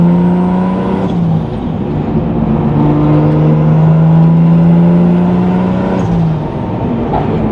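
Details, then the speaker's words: Nissan 350Z with 2JZ swap and brand new CD009 transmission, during break-in: the engine note climbs steadily in each gear and drops cleanly at every change with no grind or clunk. Gear shifts are normal. "I just want to go through all the gears, make sure everything shifts fine, and I think we're all wrapped up with this thing."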